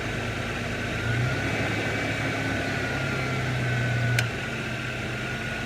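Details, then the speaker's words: 2002 Ford Ranger Edge 3.0 V6 automatic idling with AC on max cold and fan full: steady idle with low hum and faint whine cutting in and out every few seconds, worse as it warms; AC compressor short cycling with idle surge. "Okay, I've got the engine on, and I've also got it on max AC, on full cold, and with the fan fully on, and you can hear it cycling on and off. It gets worse when it gets warmer, so anyway, it's doing it."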